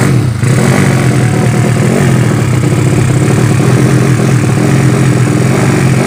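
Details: Yamaha Vega ZR with swapped Mio cylinder, 200cc, 66mm piston, standard stroke, Tiger cam, during carburettor jetting adjustment: loud, rough revving with dry clattery edge and uneven pickup; mixture still lean.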